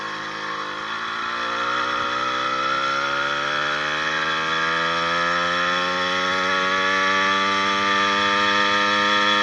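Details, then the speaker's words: 80cc two-stroke motorized bicycle riding at about 26-28 mph up hills, with new piston, unbroken-in rings and new wrist pin needle bearing: smooth buzz climbing in pitch, earlier top-end pinging gone; normal running. "i don't even hear that top that ping ping ping ping ping sound with this new bearing in there"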